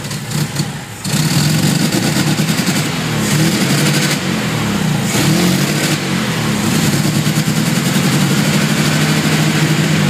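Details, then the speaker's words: 1972 VW Fastback with a fuel-injection issue, still cold, heavy smoke; revved hard with an uneven lumpy beat and wavering pitch; rough rich cold running that improves when warm, cause not confirmed. "See, I can't even keep it running long enough for me to, well, heck. Well, see, it's not even, doesn't want to idle."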